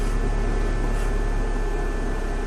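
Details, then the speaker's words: 2005 Dodge Neon, engine running after a misfire fix, with oil in two cylinders: a steady airy hiss when the brake pedal is pressed. The owner distrusts the brakes and the cause is unconfirmed. Air hiss when the brake pedal is pressed. "But when I press the brakes, all I hear is air."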